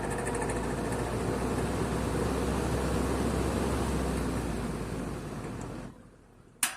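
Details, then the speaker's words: 1960s Wizard reversible box fan with 2-speed motor, running in reverse: steady fan rush with a regular tick about three per second, fading as the blades coast down. Owner suspects a bearing or a wire. "Maybe somebody can tell me exactly what that is. It sounds like it could be the bearing, or it may be one of the wires. I am not exactly sure."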